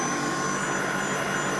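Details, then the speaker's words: Allett Stirling battery reel mower with a 6-knife spindle, after a reinforcing strut fix, mower lifted: steady, even whir with a faint high whistle and no rattle; the reel spindle runs normally. "I put the 6-knife spindle in and now you can hear that nothing rattles at all."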